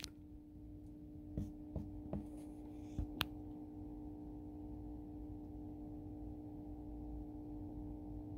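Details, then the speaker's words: Stryker SR-955HP CB radio after three years of hard use in a semi truck, on a dead channel: constant low 60-cycle-like hum with light clicks, though the truck runs on DC with the inverter off and nothing on 110 V. Speaker buzz. "It's buzzing. 60 cycle buzz. We're on DC power. My power inverter's turned off. There is no 110 volt anything going on in this truck right now. It's buzzing."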